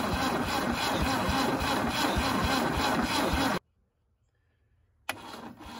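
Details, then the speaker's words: 1971 MGB that sat 20 years in the woods, ignition gap set: starter cranks at about four beats a second with stronger pops, then it catches briefly and cuts out. No knocking; carburetors need work and some valves still stick. "it's trying [Music] oh yeah hi y'all so it popped off and realistically sounds pretty good no knocking no valves hitting Pistons you know it actually runs pretty well and I'm really surprised"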